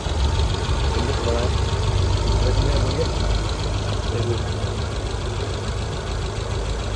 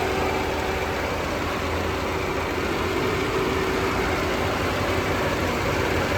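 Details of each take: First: Tata Zest petrol with check lamp blinking and temperature light flashing: uneven stumbling idle with a regular dropped beat, heavy hunting, no acceleration response; cylinder 4 misfire. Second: Tata Zest petrol with a cylinder 4 misfire fault (P0304/P0300): even, quiet, stable idle under AC load, no missing beats, running on all cylinders.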